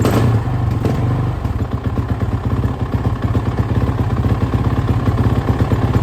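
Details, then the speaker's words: Erratic idle of a freshly rebuilt Suzuki RMZ450 single-cylinder engine, with reworked head after a dropped valve, just after its first start on choke: uneven, hunting thumps with RPM jumping around; owner suspects a lean condition. "it sounds like it's running really crap though as you probably said it's really like the RPMs are jumping all over the place it's real erratic um it sounds to me like a lean condition"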